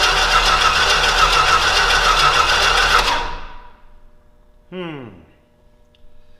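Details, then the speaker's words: Old Stewart & Stevenson aircraft tug, smoky after briefly running: the starter churns evenly at about three and a half beats a second for three seconds, then quits without catching; cranks but won't start. Cause suspected, not confirmed. "well krap Skies why is it not going"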